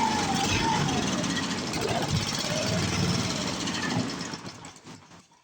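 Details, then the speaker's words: 7 hp Briggs & Stratton single, sat in a shed 15 years and removed from a log splitter because it wouldn't stay running: fast choppy putter for about four seconds, then sags and dies as if fuel-starved; owner suspects the carburetor needle stuck closed. "Come on, old girl, I just want to hear you run for a little while. Longer than that. Running out of fuel now."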